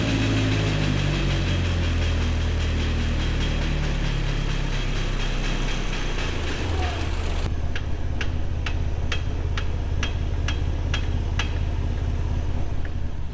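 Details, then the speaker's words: Datsun 510 wagon with turbo KA24DE, on lift in 4th gear: sharp regular knock about twice a second; H190 rear differential suspected cooked. "So, wouldn't you know it? I think our little Datsun rear end here is cooked."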